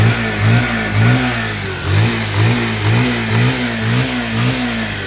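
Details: Bajaj Pulsar 150 after balancer gear and clutch plate replacement, previously making a grinding khur-khur noise: clean revs rising and falling with smooth exhaust note, no knock or rattle; normal engine running.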